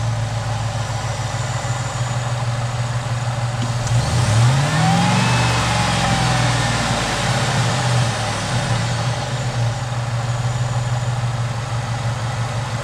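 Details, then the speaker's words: Supercharged 2008 Chevy Tahoe LS V8 after lifter replacement, first start: steady even idle, smooth rev rising and settling, no ticking or knocking, no smells or codes; engine healthy after repair. "Yeah, good stuff now. Everything sounds good. I'm not hearing any noises. Really smooth."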